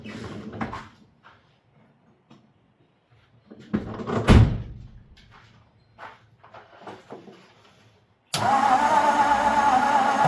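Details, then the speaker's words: 1954 Ford with points ignition: starter turns the engine over with a steady whirring drone and spark confirmed by indicator light, but it never catches; crank no start. "Oh, we got spark. We got spark, buddy. Oh, better believe that. I'm just not getting"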